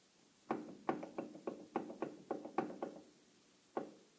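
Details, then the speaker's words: Used Volvo 850 AWD angle gear (1997–1999), apparently run without oil: irregular sharp metallic knocks, about a dozen in four seconds, as the pinion is rocked by hand; excessive pinion play. "this is how much play there is in the pinion that's way too much and it doesn't sound very healthy"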